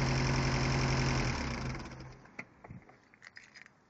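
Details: Mitsubishi Eclipse with 4G63T turbo engine idling: steady rapid tick about four a second, then dying to quiet clicks; owner suspects lifter tick or spun bearing, unconfirmed.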